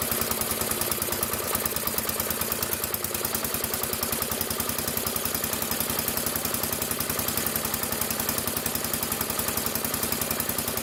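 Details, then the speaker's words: Massey Ferguson 14 garden tractor (1975 or 1976) with Kohler K321 single, after carb repair: a steady, even chugging idle with no pops or bangs; the earlier backfiring and exhaust flames are gone. "perfect when we're running rich Raeleen or whatever no more backfires"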